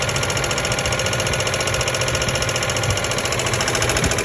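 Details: 1997 Ford Expedition 5.4L 2V: steady ticking about three to four taps a second over fast even idle, started after fuel pump and filter change; CEL P0153; owner suspects clogged or leaking injector, unconfirmed; engine ticking at idle.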